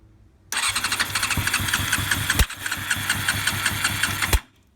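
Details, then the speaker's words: 1990 Honda CBR600 on start: catches at once then runs erratically, surging and sagging before cutting out; owner suspects an air leak; previously bogged and died when revved, and fuel spewed at the carb inlet. "So, uh, it just started up for me, but it's running really erratically. It sounds like there's like an air leak"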